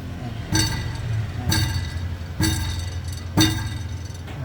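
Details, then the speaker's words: Petrol car, clanking from underneath: sharp metallic clinks about once a second over low engine hum; catalytic converter core crumbled inside and rattling against its housing; fix is removing the catalytic converter. "So parang merong ah sa loob niyan na nadurog tapos tumatama siya dun sa ano pinaka housing niya yun ung tinatawag na catalytic"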